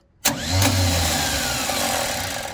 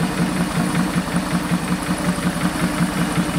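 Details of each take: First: 1973 Chevy Nova: starter spins up with a free, rising whir and no cranking beat. The wrong starter is fitted, and its pinion misses the flywheel entirely. The old starter is to be refitted. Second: 1973 Chevy Nova after a barn fire, after reconnecting a large disconnected vacuum hose and refitting the valve covers: smooth, even idle with a steady low pulse of about three beats a second, no misses or stumbles.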